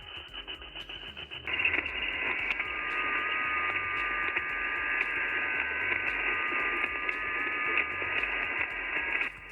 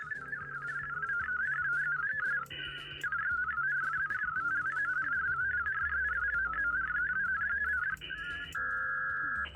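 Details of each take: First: HF reception on an ICOM IC-705 during a WinLink session with the Victron Smart Shunt in circuit in an off-grid camper: steady hiss with fine buzzing whistles, interference from the shunt, later reduced by grounding the negative to the trailer frame. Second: HF reception during a WinLink session with the Victron Smart Shunt out of the circuit, in an off-grid camper: clear warbling data tones over a quiet background with no buzz or hash, clean reception.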